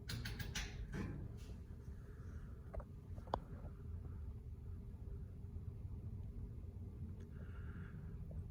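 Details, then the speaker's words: Ceiling fan in a warehouse, on low speed of its 4-speed switch: soft, steady low hum with only a stray faint click, no wobble or scraping; fan running quietly and normally. "pretty quiet too. Both the fans are pretty quiet."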